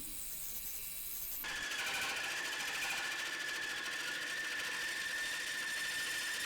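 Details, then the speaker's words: Woodturning a locust bowl with a captive hollowing cutter: once the cutter bites, a steady high singing rides over a harsh rattly cut; cutting vibration, possibly from the cutter angle (rotating it downward might have avoided it). "is that it does seem to have a bit of vibration you might be able to hear it in the video"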